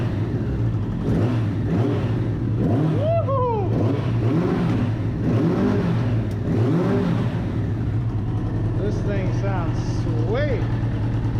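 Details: 1994 Suzuki RF900 with replacement engine after the original blew, first start, warmed up a little: engine holds a steady, even beat without stumbling or dying; running healthy. Shifter shaft stripped, started in gear.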